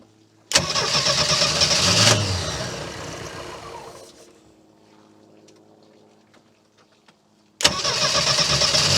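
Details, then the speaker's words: 1976 MerCruiser 120 hp boat engine after running out of fuel and refilling the tank; mic placed near the starter: starter churns for a couple of seconds, fades, cranks again before restarting. "let's just see if it ran out of fuel how many how much time turning it over will it take to uh get it running I'm going to leave the mic right here so you guys can hear the starter going"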